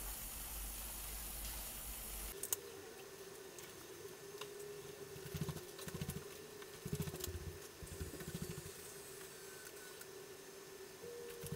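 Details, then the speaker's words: Coleco Adam data drive formatting and verifying after the head was cleaned and the index wheel oiled: low steady tape hum with no hesitation, chatter or squeal. The earlier squeal is gone and the drive runs clean. "listen how quiet this drive is the little bit of oil made that much of a difference remember how i squealed when i first got it"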